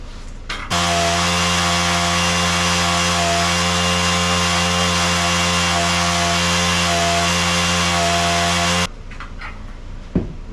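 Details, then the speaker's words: Honda engine running after a tune-up, apparently on a Mantis tiller. Steady, even high buzz at constant speed with no misses, knocks or surging; runs healthy. "love how great these ones especially with the Honda's run"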